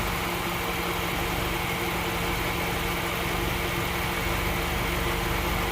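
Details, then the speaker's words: 2004 Jeep Grand Cherokee WJ starts fine but idles slightly rough, labouring note sags as if about to stall when throttle released, then dies; owner suspects dirty throttle body, not confirmed. "The problem I'm having is the car starts up perfectly fine. It seems to idle a little bit rough."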